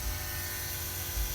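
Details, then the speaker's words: Mazdaspeed 3 with newly fitted port-injection methanol system: a steady low electric buzz with a faint high whine as the pump primes with key on, pressure about 43, no leaks; loud now but normal and should be inaudible once running. "that pump probably seems loud now but once the car is running you won't even hear it"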